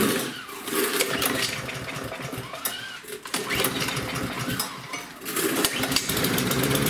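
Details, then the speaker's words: Small lawnmower engine, run last fall but wouldn't start after storage, now running after fuel system work: lazy, slow, uneven loping beat instead of crisp full speed; governor set too low. "okay that's what I was guys now it is revving a bit low so I'm going to show you how to set that"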